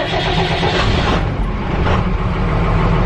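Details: Diesel step van started after flipping the master cutoff switch and waiting about 15 seconds for the fuel light, in neutral, during wiring troubleshooting. It catches promptly into an even low rumble; a clean, healthy start.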